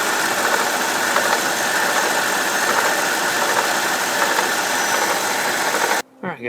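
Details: BMW E65/E66 with N62 V8 engine, noise quieter when warm: fast dry metallic rattle up front like a chain slapping guides, first suspected timing chain tensioner; actually a worn water pump bearing.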